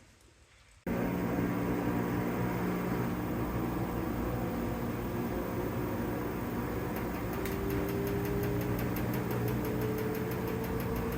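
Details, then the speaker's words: LG washing machine that is fine on the wash cycle but shakes on spin: under a steady spin rumble, light knocks repeat about four times a second as the drum speeds up. Worn drum dampers/stabilizer struts are letting the basket knock. "and you can hear that knocking okay so in order to do these uh basket shock absorbers is what I'm call calling them the dampeners that hold the basket in place and keep it from wobbling which obviously on my washing machine are messed up"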